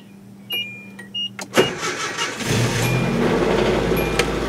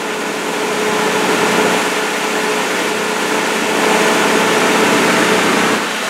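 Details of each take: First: Grandma's old Nissan pickup with a bad clutch: a few clicks, then a short lazy crank before it catches and settles into a steady idle that sounds good; slow cranking start, owner suspects it could need a battery. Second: Old Nissan pickup with a bad clutch, parked, slightly slow starting (possibly weak battery): steady, even idle with faint constant hum, no knocks or misses; engine sounds good.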